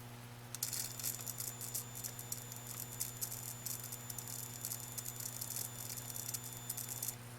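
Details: Atwood APS-5530 RV power converter outputting only 6 volts, suspected failed Schottky diode: constant low electrical hum, then fizzing crackling rattle as soon as light bulb load switches on; internal electrical fault, cause not confirmed.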